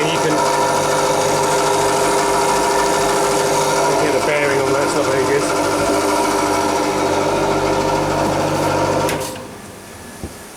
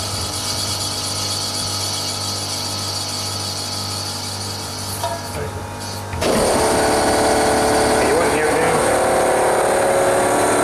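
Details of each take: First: Refrigeration unit condenser fan motor, tank 2, runs with a rough, rhythmic whirring over its hum from a worn motor bearing; motor to be replaced. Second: Newly replaced fan motor in one of two units running with a steady low hum, then a louder airy rush as it speeds up; no knocking or grinding; normal fan motor running.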